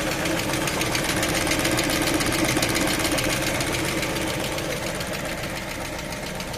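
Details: Lada Vesta engine during warm-up: steady light tapping, roughly three to four knocks a second, over the cold idle; engine knock while warming.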